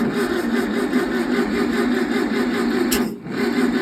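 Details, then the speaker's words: 1968 VW 1600 dual-port engine on a stand; even rhythmic cranking that never catches: valves too tight and stuck, no start. "Well, came to find out that I can't adjust none of my valves because they're all too tight. These are all stuck."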